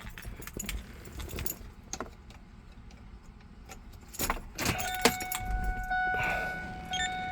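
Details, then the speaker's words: 2003 Ford F-150 with an aftermarket NC&S no-code-no-start immobilizer: key turned, keys rattle, then short, steady electronic beeps while the theft light blinks and the truck won't start until the code is entered; immobilizer warning beeping. "NC&S is beeping. Car won't start and also the theft light is blinking."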